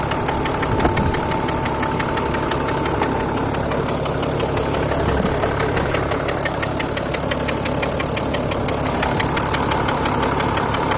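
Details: Mercedes ML350 BlueTec, OM642 turbo diesel, at idle. A light metallic tick about three times a second over the rumble, which an independent mechanic called normal: normal diesel idle ticking.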